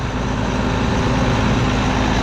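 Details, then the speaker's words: John Deere 8820 combine diesel at idle after exhaust work, on a slightly chilly day: deep, steady rumble with an even beat and no knocks, ticks or exhaust puffing. Normal, healthy idle before fuel filter replacement. "that sounds really really good"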